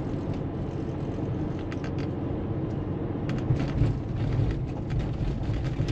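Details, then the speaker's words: Porsche 911 after shock absorber replacement, driven at 30 km/h over a potholed test road: steady low road rumble with only faint thumps and no squeak from the front suspension; quiet suspension over bumps, night-and-day difference from the old dampers. "und das hört sich also das ist ein Unterschied wie Tag und Nacht"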